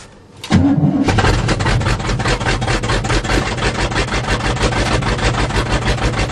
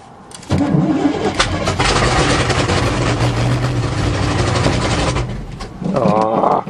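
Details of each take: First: 1977 GMC 400 truck, cold start after choke pull-off rod adjustment and priming carb bowls: brief crank, then fires and settles into a steady, even idle with regular pulses and no stumbling; normal cold start and warm-up idle. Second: 1977 GMC 400 truck in cold weather, carb bowls primed after choke pull-off rod adjustment: starter grinds about five seconds, then turns over in short bursts on weak batteries but never catches; cranks, no start.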